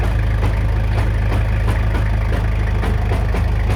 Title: Toyota Hilux LN107 new extended half shafts. CV joints clunking noise on full lock 4wd engaged